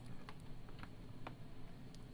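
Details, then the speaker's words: 2015 MacBook Pro returned from an AppleCare repair and shaken by hand. Light, irregular clicks, like a small loose piece rattling inside the case, and the whole base feels like it is moving. Loose internal part rattle that is still unfixed after repair. "you can hear that kind of top-heavy noise in the original noise and you might be able to hear the new noise you can feel it more than you can hear it but you can just feel the entire base of the computer kind of moving around this time"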